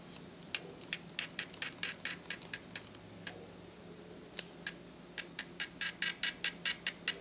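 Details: Atura speedlite (model unknown) zoom head, about 43 dB measured, in a noise comparison with Shanny SN600N and Nikon SB600/SB700: quick bursts of light high-pitched ticking as the zoom head steps, quiet between bursts; normal zoom motor operation.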